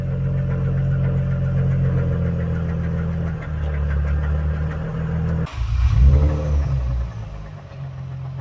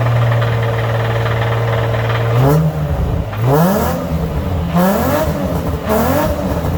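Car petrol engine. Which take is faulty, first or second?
first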